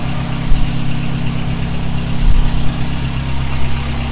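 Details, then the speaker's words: Honda Civic EG (H2B build) after injector swap, warming up: steady, even low idle, no misses, stumbles or hunting; normal idle, injectors believed to have fixed the rough running. "I already ordered the one that should be coming soon, but it runs better. It sounds smooth. So, I think the injectors fix the problem."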